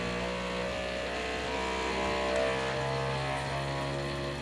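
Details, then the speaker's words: New Bambu Lab P1P 3D printer during its first-setup vibration self-test: the head shakes and a loud droning buzz rises through several fixed tones with high-pitched whines and no knocking, normal vibration calibration. "Alright, so the head is shaking around now. The second I went to go and touch the bed, it started shaking. Oh jeez, it's ramping up"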